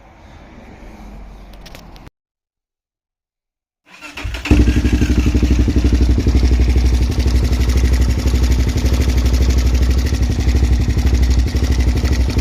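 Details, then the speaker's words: Suzuki LTZ400 quad bought cheaply, first runs after revival; fires and holds a fast, busy beat with steady ticking chatter from the top end, owner asks if valve chatter, also blowing smoke so at least needs rings: rough running with top-end chatter. "all right so definitely has a lot of chatter up here um it's also blowing a bit of smoke so it definitely is at least going to need Rings"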